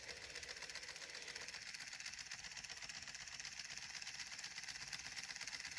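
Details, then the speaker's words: 3D-printed pulse motor rotor driven by a Hall sensor circuit: faint, hissy buzzing pulses about four a second, uneven and jerky; choppy rotation because the Hall circuit energizes the coil hard and sets the rotor rocking. "this is a really nice circuit it's a little choppy because the hall circuit really energizes that coil gets it rocking"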